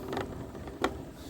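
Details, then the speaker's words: Rented Martı electric scooter, speed limited to 25 km/h, ridden without strain; quiet with soft irregular creaks and one sharp click, a very annoying sound rider suggests swapping scooter over; mechanical creak. "Şu an gerilmeden şu çok rahatsız edici bir ses yani bunu bence Biz bırakalım yenisini alalım"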